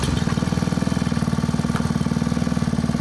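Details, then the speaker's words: Honda WX15 1.5-inch water pump, bought new, restarted after sitting three years, primed and feeding a high banker. Small single-cylinder four-stroke thumping evenly at about four beats a second at absolute idle; normal idle. "That's down to an absolute idle. I'm just going to pick up the camera and sort of show you the water flow here running at idle."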